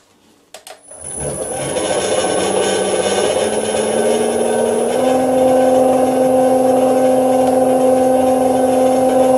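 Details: Hundred-year-old bench lathe motor on a frequency drive, run at 40–50 Hz (about 500 rpm at 50 Hz) during torque compensation testing: hum climbs in pitch then holds one steady, even tone without cutting out; running normally.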